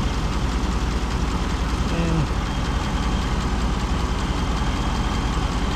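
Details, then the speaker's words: 2017 Chevy Silverado 6.2L with new AC compressor, condenser and expansion valve on R-1234yf, about 95°F outside, pressures about 57 and 200: steady idle with even hum, no knock or squeal; normal compressor operation. "Pressures are about 57 and 200. Let me go see what it feels like on the inside, because I do have the compressor running."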